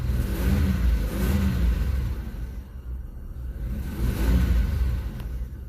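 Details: 1994 Isuzu Rodeo, vacuum line still leaking slightly, going into closed loop: engine revs up and settles back smoothly several times with no hesitation or stumble.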